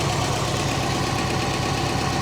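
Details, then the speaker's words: Late-1990s GMC/Chevy K3500 pickup hit by lightning, with straight-pipe exhaust and running on stale gas. It has a steady, even, quiet idle with no knock or misses, only a light injector tick, and runs smooth. "it's quiet doesn't knock it is straight pipe so it sounds good for running on stale gas I would say is pretty good"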